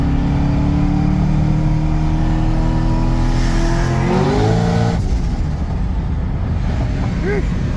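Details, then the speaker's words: Engine with the new manual belt tensioner, about five pulls to 7,000 rpm with power steering intact (belt slip usually kills it): pitch climbs and falls cleanly, no squeal or chirp; belt stays aligned. "holding all right I think uh I think we're good [ __ ] it I've in about five PS right now all the up to 7K and you know I still got power steering cuz usually when that belt slips lose power steering"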